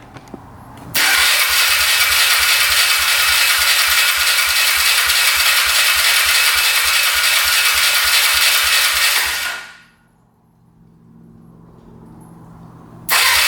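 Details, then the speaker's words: 2002 Polaris Magnum 325 ATV, first start after confirming spark, compression and fuel to the carb, no choke: catches within a second, steady even single-cylinder putter, no knocking, leaking or smoke. "Sounds pretty good. Not bad. That's without the choke on."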